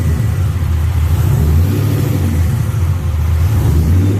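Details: V8 on a newly wired Holley ECU, engine hot, fuel pump and fans run by the ECU: deep even rumble that climbs smoothly as it revs, no knocks or rattles; normal start and rev.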